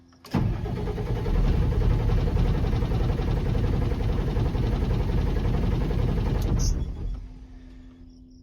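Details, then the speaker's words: Swather's common-rail diesel after running out of fuel, with about 6 gallons added and the key cycled to run the lift pump: steady cranking that doesn't catch; the lift pump pitch changes, so the owner believes it is getting fuel. "Cycle the key and let the lift pump run a little more. I don't know if you can hear that. It's a mix of airplane and lift pump. But it is a different pitch, so I'm pretty sure it's getting fuel."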